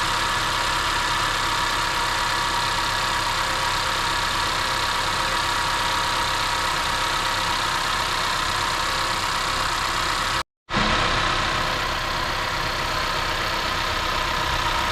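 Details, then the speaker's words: 2015 Honda CR-V idling after DIY spark plug replacement: steady, even idle, no misses or ticking, only a faint hiss; runs smooth and normal, though owner notes another issue probably not spark-plug related. "Let it sit there for a little bit just so if you start hearing any weird noises. As far as you can see, right here, it's all normal."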